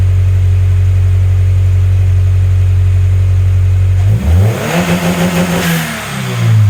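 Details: Turbo Scion FRS boxer engine after spark plug replacement, a broken plug ceramic suspected of causing misfires: steady low idle, then a clean blip rising and falling smoothly with no misses; healthy.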